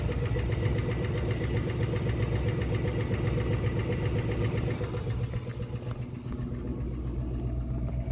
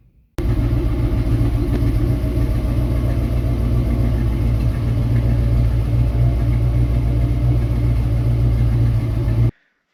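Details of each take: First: 1966 Ford Mustang 289 V8, found with no oil and black oil: heavy regular knock about four times a second from oil pan area with lighter top-end tapping; spun rod bearing. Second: 1966 Mustang with a 90s Ford 302 roller motor swapped in for the dead 289, new exhaust: deep, steady, smooth V8 rumble with no knocks or misses. Healthy engine.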